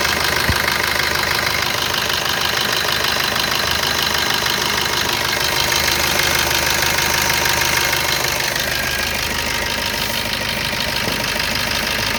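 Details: Hissy, steady idle on a Brezza with light, fairly regular ticking about twice a second over it; abnormal engine noise at idle, cause unclear.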